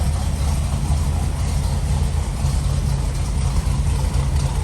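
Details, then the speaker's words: 1981 Chevy C10 305 small-block V8 after cam and lifter swap, idle set slower than usual to hear it: deep, slightly uneven loping beat with no knocks or ticks; normal lope of the bigger cam. "idle I got to hi them a little bit slower than I normally keep it just to so you can hear the"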